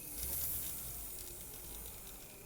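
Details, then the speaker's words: Graham Farish Class 50 loco, shell off, after greasing the drive shaft that rubbed on the bearing block: soft, even whirring with no squeal or rasp from the motor and gears. Normal running. "so i think we got rid of the squeal which is nice"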